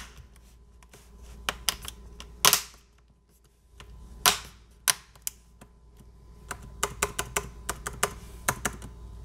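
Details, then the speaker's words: Dell XPS 9570 spacebar after the squeak fix, key reseated on its metal bars: crisp, separate key clicks and taps with no squeak or rubbing, nice and quiet. "sounds pretty good right now sounds like we got it I'm gonna put in the left side the right side it's awesome nice and quiet"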